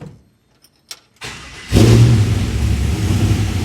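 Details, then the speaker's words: 1967 Chevy C10 with LS1 swap, after fixing swapped MAP and cam position sensor wiring following a cam sensor circuit low code: few clicks, catches promptly into an even, steady idle; normal start. "Oh, that's much better. All right, let's shut it off and see what happens."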